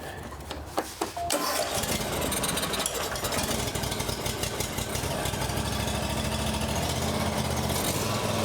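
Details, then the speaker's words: John Deere X350 riding mower, sat several years in a warehouse, fuel line primed with air, new knockoff carburetor, weak battery: short crank then fires at once into steady even idle, no misses; runs well without carburetor work. "Uh this is new. It's a knockoff and I'm actually surprised it's working really well right now."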